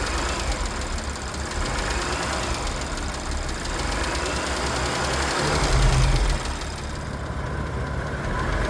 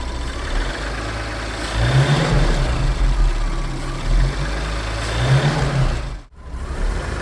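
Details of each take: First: Audi B9 S5 with EA839 3.0 TFSI V6: fast, even tapping about four a second over steady idle; worn cam finger follower roller bearings clattering in the top end, a rare premature wear failure. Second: Audi B9 S4 with the EA839 3.0 L V6, shown as the healthy reference against an engine with worn cam followers. A smooth, even low rumble with no ticking or knocking on top: normal idle.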